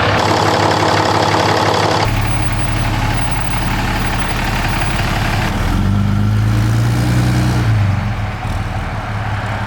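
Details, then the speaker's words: 6.7L Cummins at 122k miles, brought in for low power, started after new injectors and injector fuel tubes were fitted and bled: a brief crank, then a steady, even diesel idle with low clatter and no misses. Normal idle. "once the new injectors were installed it was time to fire it up all right guys we're uh finished up the 67 injector job about to fire it up"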